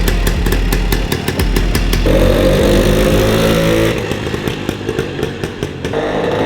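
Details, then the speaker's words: 1953 MV Agusta Pullman 125cc two-stroke single after gear-selector cable adjustment: uneven popping that climbs briefly on throttle, then sags and stumbles back down. The engine bogs instead of revving, though it no longer jumps out of first gear. "So hopefully, I'll get that engine running right, because it's bogging down, so I can get some revs in it."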